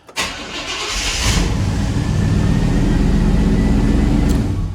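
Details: Truck started after fixing rust and installing a new pump; brief crank catches quickly into a steady even idle with a faint pump whine, the new pump much louder than the old one.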